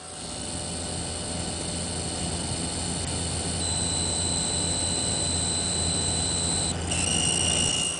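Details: Zalman ZM-1000HP power supply with Vsync off, squeal changing with screen changes and game loading, much reduced with Vsync on; thin high-pitched squeal jumping pitch — power supply coil whine, likely a noisy capacitor or inductor.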